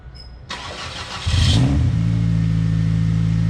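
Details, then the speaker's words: 2000 Ford Focus ZTS with an engine swapped in from a van after water ingestion through a low cold-air intake, first start of the day but not fully cold: brief starter whir, quick catch and rev, then a smooth steady idle; slight squeak, owner suspects alternator. "A little on the squeaky side, but sounds like an alternator. No biggie."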